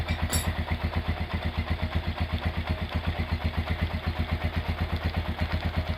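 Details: Rebuilt Honda GL100 single-cylinder engine with an Aspira piston and valve clearance set at 0.10: an even, steady thump about four beats a second with no knocks or rattles. Normal smooth, healthy idle after restoration.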